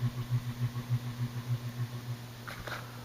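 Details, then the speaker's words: 2000 Encon Princess 42-inch (107 cm) ceiling fan, made in China, on low speed around 70 RPM; always noisy and vibrating in use 2000–2007. Deep steady hum throbbing about 3.5 times a second; loud motor hum with vibration. "And yes, I did have a lot of trouble sleeping with that fan all the time. Yeah, sometimes all the vibrating sound it was making."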